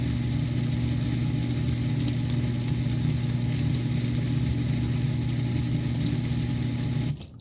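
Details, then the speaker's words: 8-year-old Miele Diamante Plus dishwasher, noise from the inside bottom during the water circulation wash cycle; filter, non-return valve and impeller checked fine: constant loud droning, almost grinding hum, then stops; owner suspects circulation pump or motor. "so it's basically just really loud almost grinding sound that I'm getting"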